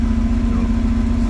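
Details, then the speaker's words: 1992 Bayliner inboard, started with water hose supplied: starts quickly and idles with a smooth, even low drone, steady pitch, no knocks or misses; oil pressure near 70 psi, runs and sounds healthy. "Start it up. Starts up quick. Runs real good. Sounds real good."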